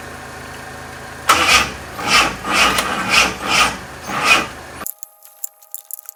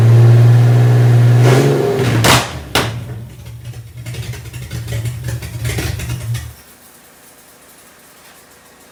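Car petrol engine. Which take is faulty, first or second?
first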